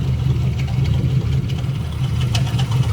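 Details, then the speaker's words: 2006 Chevrolet Silverado V8 idling, heard from underneath with the torque converter disconnected: lumpy idle with a faint metallic rattle from the back of the engine, suspected broken flex plate damaged by a previously bad starter. "it's definitely coming from back here. And I disconnected the torque converter from the flex plate. So that's all part of the flex plate making the noise."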